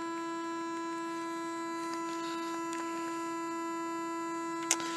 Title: Wii U Freezing Glitch With Buzzing Noise